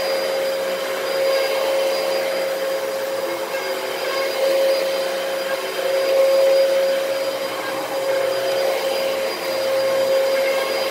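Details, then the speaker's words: Used Dyson DC33 from Facebook Marketplace: a steady roaring run with a thin, constant high whine on top. Owner says the motor sounds unhealthy and suspects a dirty HEPA filter, but thinks it is probably the motor. "that motor doesn't sound very healthy it sounds kind of whiny but I don't know maybe that's just a HEPA filter being dirty that's probably the motor"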